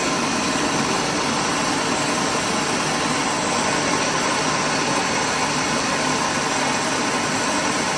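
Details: Rice mill (Sam Yot) test run after replacing the broken motor bearings and fitting a No. 3 shim flange: even, steady rushing hum with no knocks, rattles or rising squeal; the mill and motor run smoothly.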